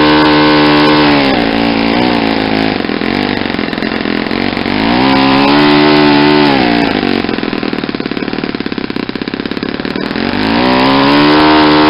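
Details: Saito 50 four-stroke on its first run after a rebuild (new ring, new bearings), warm, APC 11x7 prop, Omega 10% fuel. As the needle is leaned, a steady high drone climbs and holds near peak RPM. The exhaust smoke decreases and the mixture is set lean.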